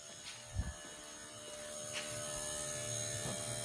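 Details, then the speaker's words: MegaSquirt-controlled engine at quiet idle with cooling fans barely running: steady constant-pitch electric buzz from the idle air control valve after a few handling knocks. "And you can see the fans are just barely running. So you can hear my IAC buzzing."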